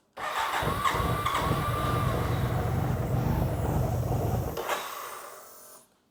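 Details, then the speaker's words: 1993 BMW K100 motorcycle, first start after sitting with new battery and fuel pump and old gas; fires and runs a few seconds with uneven stumbling beat then dies; rough running, owner suspects from not having run in a while. "it's running a bit rough maybe because it haven't ran in a while so smells really bad too"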